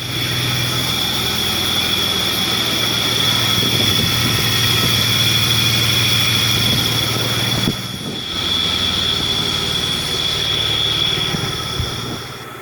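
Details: 1989 Toyota 4Runner: thin, high chirp repeating about four times a second over the running engine, going away when the clutch pedal is pushed in; cause not yet known.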